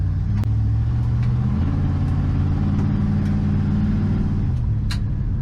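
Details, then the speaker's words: 1980 Ford F-350 service truck with a 460 big-block V8, piston rings still breaking in, Gear Vendors overdrive: deep rumble under acceleration rising in revs, with popping in the glass-pack mufflers as the secondaries open; healthy. "I hear that popping when the glass packs yeah that's when the second areas open up"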